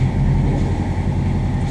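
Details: New diesel just installed in a Morgan 41 Out Island sailboat, already run about an hour by the installing mechanic: deep, steady low rumble with an even beat and no knocks or misses, idling smoothly and healthy.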